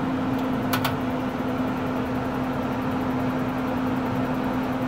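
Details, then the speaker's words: RV propane furnace installed in a cargo trailer, powered by a Yeti 1250 solar generator, thermostat at about 70°: igniter clicks, then a smooth, even blower hum; sounds better than last time, when low power left the fan not blowing properly. "sounds much better than last time though um last time last time again it had a low power and the fan just wasn't quite blowing right"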